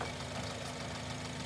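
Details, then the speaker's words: Running engine at idle with original pulley, no fault audible by ear: quiet even idle, low steady hum, no chirp, squeal or rumble from belt drive; pulley sounds fine. "again you heard this car running now you hear it running natural this is with the original pulley and it really was something that you wouldn't catch your ear so to speak if you were in the shop listening to it"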